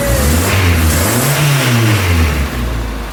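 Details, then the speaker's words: Toyota Tercel 3A-C engine just reinstalled, third start attempt after fuel lines were connected: catches and revs unevenly, pitch rising and falling with throttle, then settles; flooded on choke, cleared by shutting choke and giving gas. "I really didn't even think about it. I'm like, we need to shut the choke off because it's flooded."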